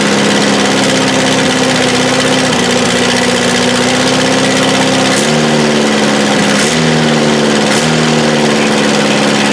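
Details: 1984 Toyota SR5 pickup, first cold start after about five years sitting, after gas was added to the carb bowl and the fuel pump smacked: steady, even idle with a couple of brief speed dips that recover cleanly; runs smoothly, sounds healthy.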